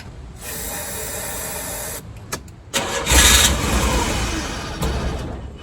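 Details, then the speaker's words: 1986 Chevy S10 Blazer, 4-cylinder, 4-speed, 2WD: catches on a shot of carb cleaner, roars a few seconds, then dies; ignition confirmed, fuel pump suspected, fuel pump relay checked next. "Well, that was freaking awesome. So we do have ignition, which is great. Throw a little more, see if I can get it to stay running for a little bit longer. Looks like it just might be the fuel pump, which is kind of a pain to change, but at least it's one thing."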